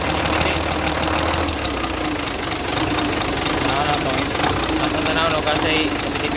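Engine idling with a quick, steady light ticking knock riding over it, like a valvetrain tap; likely rocker arm area but unconfirmed.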